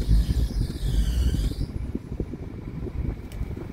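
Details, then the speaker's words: 2016 Tata Hexa XT automatic 4x2, 2.2 diesel, 92,000 km: after a brief fading whine, a low, even diesel rumble settles with no knocks or rattles; belt sound when accelerating, engine in excellent condition. "So మనం accelerator వేస్తే belt sound వస్తుంది engine అయితే excellent condition"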